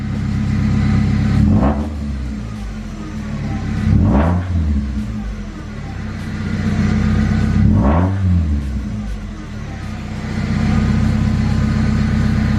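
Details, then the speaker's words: Mazda Miata NB started after over a year sitting, alternator needed: loud, raspy exhaust swelling and falling with several revs over a deep rumble; owner believes it is straight-piped somewhere. "Straight pipe. Yeah, straight pipe this somehow, somewhere."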